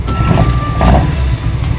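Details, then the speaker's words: Toyota AE86 with stock 20V engine: lumpy, uneven low rumble with stumbling beat; misfire traced to failing cylinder two after new injectors, plugs and distributor didn't help; engine to be rebuilt. "sounds like a subaru right now [Music] yeah it doesn't sound too good and the sad part is it's only gonna get worse"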